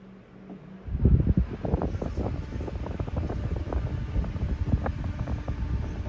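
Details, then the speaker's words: New replacement fan on high at initial checkout, said to move 30% more airflow than the previous fan; strong steady rush of air with even hum once spun up, no ticking or scraping, healthy. "Oh yeah, that sucker's powerful. It does move 30% more airflow than the other one I have."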